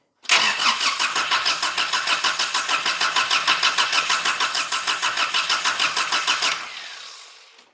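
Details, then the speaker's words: 1985 Daihatsu Rocky 2.0 petrol, unstarted for months: long, even cranking about three turns a second without catching while flushing stale fuel; the starter sounds tired and is already starting to fail. "I also don't want to beat on that starter too much because it's already starting to fail"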